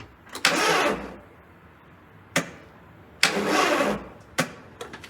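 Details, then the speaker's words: Barn-stored car that sat three years, started on a booster pack: two short, labored cranking bursts with clicks, starter dragging slowly, engine never catches; slow weak cranking, suspected weak booster or bad connection, unconfirmed. "Wow, that's stringing that thing down, huh? Sounds healthy, huh? Sounds like it just wants to die here."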